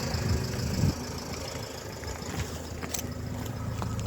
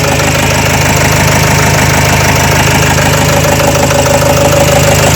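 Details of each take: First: Renault Trafic 2 / Opel Vivaro, M9R780 2.0 diesel, after replacing shorted cylinder 2 piezo injector and re-priming the pump: quiet low even idle, no knock or vibration, exhaust sound back to normal. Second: Renault Trafic 2 / Opel Vivaro, M9R780 2.0 diesel, before repair: loud uneven idle, steady knock about three per second, misfiring from failed cylinder 2 piezo injector (short-circuit code, 0.31 ohm resistance, fuel correction 5.02).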